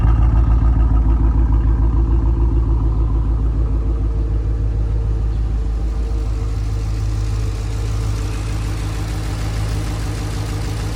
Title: 2017 Chevrolet SS Sedan/Holden Commodore Misfiring #ls #ss #holden